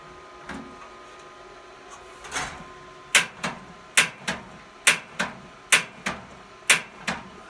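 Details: Ashley AGDV12 propane furnace in a cabin at about -21 to -27°C, after cleaning the gas passage and refitting the thermocouple and piezo starter: sharp igniter snaps, often in pairs, about once a second. The pilot is not lit yet because air is still purging from the line.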